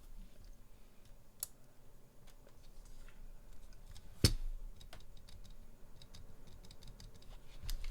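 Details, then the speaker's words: Durock/Everglide spacebar stabilizer after modification, not yet lubed: a few soft muted presses with a clean dull thock, no metallic buzz or rattle; rattle dramatically reduced, like an original Cherry stabilizer. "the rattle's gone so as you can tell there's dramatically less rattle so it sounds more like an og cherry stabilizer now"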